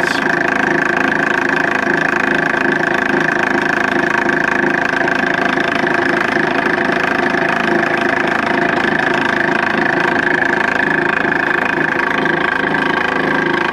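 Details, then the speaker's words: Nipkow disc mechanical televisor, motor belt-driving the disc spindle: steady loud whirring drone with a beat about three times a second. A wonky, off-centre pulley cog makes the drive noisy and is to be replaced. "anyway yeah not quite desirable having um that excessive amount of noise um on the set especially if you're going to be especially having audio as well as video so yeah as mentioned I'm gonna replace that wonky gear Cog at some point with a better one"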